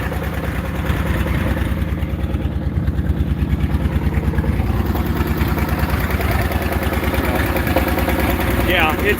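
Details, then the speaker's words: Farmall H tractor at idle: loud, lumpy, uneven beat with a cylinder dropping out, i.e. misfiring. Owner suspects timing and junk (though new) spark plug wires. "definitely missing timing new wires these are new but like i said i'm gonna put newer ones on there"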